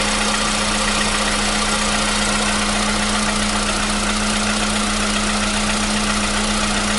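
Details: 2015 VW Polo Sedan at 76,000 km, new battery, cold start. For years it knocked only when cold, and worse on Rosneft oil. Smooth, steady cold idle with a constant hum and no knocking as it warms; the knock has suddenly disappeared. Normal cold-start idle.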